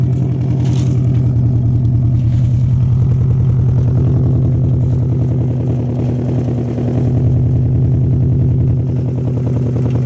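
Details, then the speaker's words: Subaru WRX, cold freezing idle: uneven stumbling exhaust beat with skips, an engine misfire felt and heard, earlier accompanied by a code. "all right guys now it's actually misfiring you know how back then it threw on the code now it's actually misfiring i can actually feel it and you can actually hear it"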